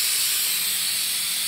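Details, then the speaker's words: Multipro 2 HP electric air compressor, motor off: steady sharp hiss as air bleeds continuously past the pressure switch and compressor head from the check valve, which is held open by dirt. "हवा pressure switch से लीक हो रही है। हवा pressure switch और compressor head से लीक हो रही है ।"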